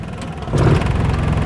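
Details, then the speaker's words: Carbureted engine that stalled when A/C was switched on in gear, after fitting a delay valve (กล่องหน่วง) ahead of the A/C compressor clutch: low even idle around 1,000 rpm, rises slightly as A/C load comes on and holds steady without dipping or stalling. "แล้วก็เปิดเอสมาแล้วครับไม่มีกระชากหลับล่ะดูเอานะครับตัวปิดเปิดนะครับรอบนิ่งเลยนะครับ"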